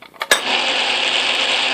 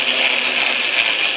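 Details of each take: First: Atlas Craftsman lathe after shimming the tumbler gear to cure gear lash, carriage feed engaged: even, steady whir with light gear hum and no knocking or clatter; the gear train runs quietly and smoothly, far less racket than before the repair. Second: Atlas Craftsman lathe after tumbler shim install, running in reverse: high gear whir with pulsing grumble about three times a second; owner suspects something lacking play or lash.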